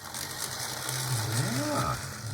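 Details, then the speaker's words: Athearn Blue Box EMD F45 HO model locomotive, first test run after quick LED wiring: rough, ratcheting gear growl under a wavering motor hum. Runs, but noisy. "well looks like it's alive it's very growly very ethan growly but that's fine"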